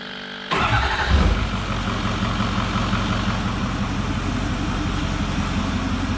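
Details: Ford 6.4 Powerstroke diesel first start after oil pan replacement, with new oil and filter and the intake and charge pipe reconnected: quick crank, instant catch and brief flare, then a steady even idle with no knocks or misses. Normal.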